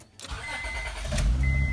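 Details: Car started after catalytic converter hole sealed with sodium silicate stove cement: starter catches, steady even idle, no hiss or puffing; exhaust sealed, normal start and idle.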